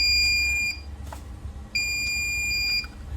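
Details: Smarten Saver 2000 inverter works on battery, but when mains input is connected it gives two steady high-pitched beeps and output turns off; switching stops but the relay stays on at 11 V, with a driver transistor suspected.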